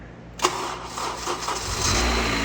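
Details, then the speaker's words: 9th-gen Honda Civic after replacing the VTC actuator spring with a hardware-store spring, which was diagnosed as the cause of a knock and rattle on startup. It cranks briefly, catches cleanly and settles into a smooth idle with no rattle. "Hey, way better. Woohoo. That's exciting. Woo! He had the nastiest little rattle before."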